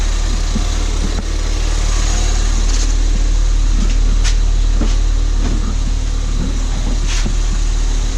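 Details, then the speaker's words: Crashed Ford Fiesta ST on axle stands, run in gear to check the gearbox and diff after driveshaft damage; steady low engine hum, wheels turning, light whirr from rusty brake discs, no knocks, clunks or grinding; normal running in gear. "Sounds fine. Wheels turning alright. Rusty discs, I can hear them whirring away. Everything else sounds fine."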